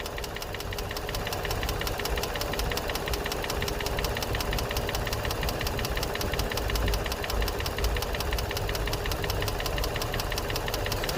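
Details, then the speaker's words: G35 V6 with 109k miles, regularly changed oil, new cats and no check engine light idles with rapid, sharp metallic ticking/knocking from one side only. The cause is unknown; others suggest lifters or spark plugs. "This side is not making any noise. This side is. No check engine light on."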